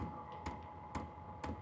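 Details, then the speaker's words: H-Calory diesel heater priming at level 1 on start-up. Sharp, evenly spaced dosing pump ticks about two a second over a faint hum. Ticking slows once running and gets faster at higher heat levels. "Now you can hear the ticking. The ticking does go down once it starts up. Right now it's just priming."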